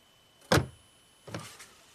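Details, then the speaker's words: 2012 Buick Enclave power liftgate latched shut, no DTCs: pressing the liftgate handle switch gives two short latch motor whirrs about three-quarters of a second apart, each dying quickly. The actuator runs but does not release the gate. "this thing tried to do something"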